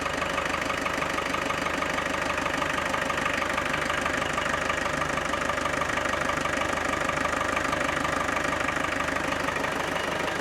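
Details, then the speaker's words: Land Rover Defender 110 300TDI diesel at idle after replacing the turbo boost line and wastegate valve hoses: steady even clatter, about three beats a second, with a faint high whistle; owner thinks the turbo is now audible where it wasn't before; normal healthy idle. "It definitely sounds a little different. I think I can hear the turbo, the turbine, which I didn't hear the turbine before."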